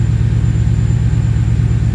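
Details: Ford Capri with swapped Mercedes M113 5.0L V8, freshly converted to MaxxECU Race: deep, steady, even idle with no misses, surges or ticks at about 13.8 AFR and stable 32 psi oil pressure; owner still puzzled by odd ignition timing; healthy idle.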